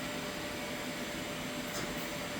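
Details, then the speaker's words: Doosan DN SVM 4100 machine coming out of e-stop via machine-ready reset: click, then steady even rushing air noise; air supply blowing normally at start-up. "you can hear it click on you can hear the air blowing"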